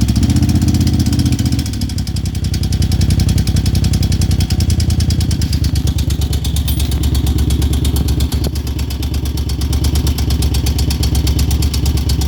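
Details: 2002 Moto Guzzi California EV V-twin at idle: loud lumpy beat with a light fast top-end tick keeping time with engine speed; cause unclear.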